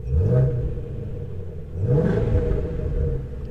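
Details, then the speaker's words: Salvage Ford Mustang GT350 at auction, after about five minutes of warm-up: two quick blips with a deep exhaust rumble rising and falling smoothly, no misses or knocks; normal revving. "wow this thing sounds good I think sounds really good"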